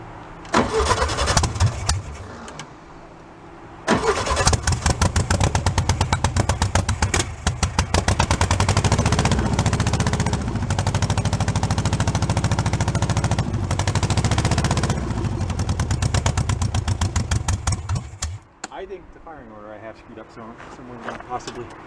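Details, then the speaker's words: Engine from a VW split-window bus, sat 40 years in a junkyard, cranks and runs rough on a replacement carburetor with fuel fed in; uneven stumbling beat, misfire with one cylinder not firing, cylinders 3 and 4 checked. "that sounds misfiring there's number three that's number four so yes I was running though it was definitely running"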